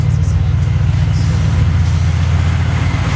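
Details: 2005 BMW 645Ci idling during alternator replacement, charging voltage measured going from 13.4 to over 14 V: deep, steady, even drone with no knocks, ticks or whine; smooth normal idle.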